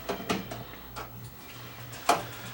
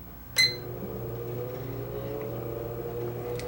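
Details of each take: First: Breville Smart Convection Oven that stopped heating; a few sharp relay clicks with no element hum following as timer comes on; burned open relay solder joint. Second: Breville Smart Convection Oven after the no-heat repair, top elements glowing red hot: a click, then a steady low fan hum with a faint even whir, no grinding; normal convection fan running.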